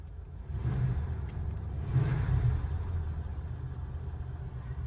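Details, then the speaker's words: Inside a Ford Crown Victoria while driving, after transmission fluid, filter and power steering return hose changes: only a low, even road rumble with no knocks, whines or rattles; a quiet cabin. "do you notice how quiet it is inside the car"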